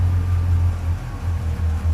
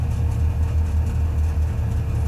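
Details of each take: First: Customer's Subaru 360 van two-stroke after carburetor work, choke pulled, fuel pump running: strong steady low burble with no stumble; much better throttle response, though idle then sits too high. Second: Subaru 360 van two-stroke, just started with choke after flooding: a fast, even idle buzz that is slow to come down, around 2,000 rpm. Idle is set too high, and the carburetor needs adjustment.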